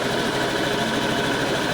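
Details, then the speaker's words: Honda Vario 110 LED scooter, brought in as dead and stalling, idling before any work was done: a steady, slightly uneven putter with no knock. It runs for now; the stall symptom recurs and its cause is still unknown. "Motor ini sebenarnya nyala gitu loh, tapi pura-pura mogok apa bagaimana dibawa ke rumah gue gitu ya."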